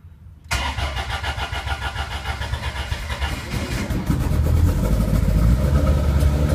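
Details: Lancia Stratos with full-race Guy Croft 2.0 L 8V engine, previously bench tested, first start after pre-oiling with oil pressure confirmed: starter spins briefly, then lumpy choppy beat firming up and growing louder; normal engine start.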